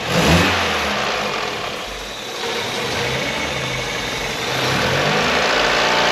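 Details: 1994 Mazda Eunos Roadster after a new rocker cover gasket, spark plugs and ignition leads, previously hunting between 300 and 600 rpm and stalling: steady, even idle at about 600 rpm with no hunting or surging; normal idle.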